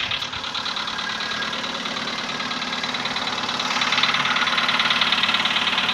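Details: VW Polo Sedan, CFNA petrol engine, 105,000 km, before decarbonizing: cold start at 20°C after ~15 hours parked; steady even knocking about three per second with a bright rattly edge over idle; cold piston knock, fading as it runs.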